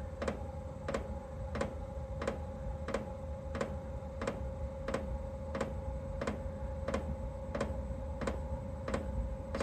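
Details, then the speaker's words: Chinese 12/24 V diesel parking heater on a 12 V supply, startup: fan speed rising and fuel pump started, steady ticking about 1.5 per second over a low hum while voltage sags toward 10 V; the heater later quit with a low-voltage error. "so now fan speed's kicking up and we started fuel pump so we're getting 92 dropping down to 10 volts on here"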